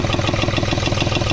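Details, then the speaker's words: Hyundai/Honda Xcent diesel after an engine overhaul by another mechanic: lumpy, uneven clatter at idle with a stumbling rhythm. It is misfiring and blowing black smoke, with a bad noise. The EGR was due for cleaning; the cause is not confirmed. "और यह इसके net मैंने ऐसी आवाज़ ए रही है बिल्कुल गाड़ी मिसिंग कर रही है ब्लैक स्मोक कर रही है"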